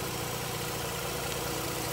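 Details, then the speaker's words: Mazda RX-8 rotary after hard-start and flooding episode, about 10 minutes running: smooth, even idle with steady low rumble, no misses, smoke cleared; normal idle. "as you can see it's not smoking just enjoy it looks like it's running he's got a pretty good idol"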